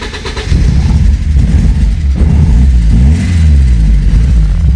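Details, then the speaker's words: 1986 Porsche 944 Turbo that would not start: after the crankshaft position sensor circuit is shorted with a test lamp, a brief crank, then it catches and runs strong and even with clean revs; cause still unknown. "мы трогаемся с места без проблем. Заводится даже на холостом ходу."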